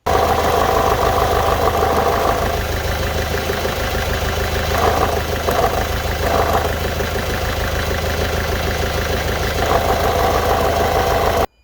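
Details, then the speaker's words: Citroen Berlingo petrol engine idling with a loud tinny rattle from an exhaust heat shield that has come loose under the bonnet. "We've got this heat shield, and I don't know if you can hear this. It looks like it's come away quite bad. Show you it down there, you can see it rattling."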